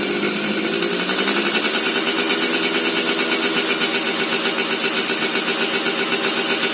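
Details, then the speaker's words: Suzuki Satria two-stroke, restored with porting, stock sprockets: crisp high-pitched buzz revving evenly with a steady pulse and clean pickup, tune judged okay, normal running. "Nah suaranya kurang lebih seperti itu eh untuk setelan nih Bisa dibilang sudah oke"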